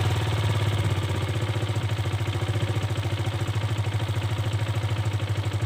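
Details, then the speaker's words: Kawasaki KLX 150 G (2021) single-cylinder engine idling low and steady at about three pulses a second, no clatter or hunting, after idle was lowered by turning the carburetor idle knob counterclockwise; normal idle. "mesin stasioner akan kembali rendah demikian untuk penyetelan stasioner apel ataupun langsam Kawasaki KLX 150 G lansiran tahun 2021"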